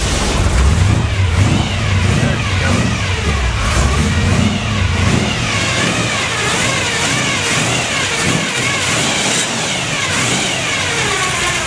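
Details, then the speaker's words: 1957 Chevy 350 V8 with two four-barrel carbs, freshly cold-started: rough, extremely rich running with a gear whine rising and falling with revs from a noisy Pete Jackson timing gear drive. "by the way i forgot to mention it also has a pete jackson gear drive a real noisy one if you didn't already hear it"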